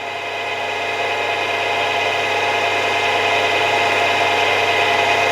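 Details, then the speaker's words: Milling machine after spindle bearing replacement, running at the highest speeds (high one and high two) where chattering occurred before: smooth, steady whir with even tone, no chatter or rattle; bearings sound healthy. "yeah i'm pretty happy that that noise is all gone by the sounds of it"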